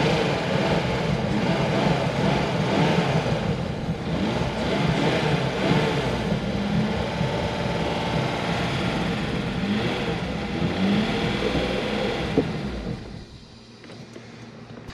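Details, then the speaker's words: BMW E36 that sat, crank-no-start, intake boot now fitted: runs rough and uneven about twelve seconds, then sags and dies, with heavy smoke; owner suspects stuck piston rings/compression issue, not confirmed. "well it started and i got it to run there for a little while but as soon as i let it shut off it uh it died off again"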